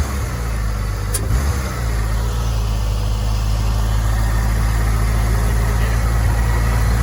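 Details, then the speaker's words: Wrecked Honda S2000 of unknown engine condition, first start, earlier smoking with a bad idle; now settles into a smooth, even low idle with a steady rumble and no hunting or misfires. "Let's do it again. Oh, wow. That sounds a lot better."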